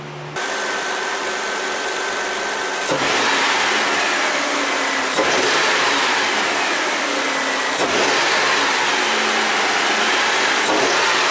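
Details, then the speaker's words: Kia Sedona 3.5 V6 after new spark plugs, plug wires and ignition coils, warming up at about 130°: steady, even idle with no misfires, stumbles or intake backfires; the engine now runs smoothly. "I don't hear any misfiring and we obviously don't see any any more fireworks show there engine feels nice and smooth yeah we don't hear it backfiring back to the intake say we did a good job"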